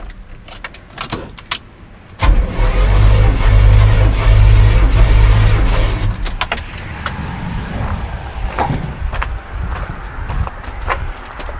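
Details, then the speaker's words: 1989 GMC Sierra 3500, compression test on cylinder No. 2, cranked with the key 3-4 times without firing: even, steady churn; reading about 130-132 psi, healthy. "I'm going to give her, you're going to be able to hear it go like 3 or 4 times, see where it's at, and do the same with all of them, so that way they're the same amount of crankage and we can see a problem if there is one."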